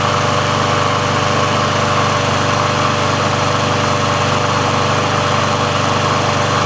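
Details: Sears Craftsman mower with Briggs & Stratton engine, final test after service and auto-choke repair, run about three minutes to warm: steady even single-cylinder drone, no misses, surges or knocks; auto choke plate opens properly, running normally.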